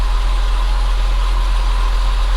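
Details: Saab 9-5 2.3 turbo idling after fitting a cheap Amazon MAF sensor; the previous MAF caused a sporadic, erratic idle. Steady, even low hum with no hunting or stumbles; a clean, healthy idle.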